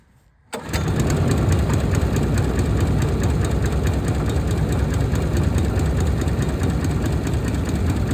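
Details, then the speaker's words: Honda GX160 engine on a Logic MSC120 sweeper, after a full engine service including fitting a new spring: starts quickly and settles into a smooth, even, steady run with no clacking or knocking, running much better now; normal running. "Heat. That's running much better now."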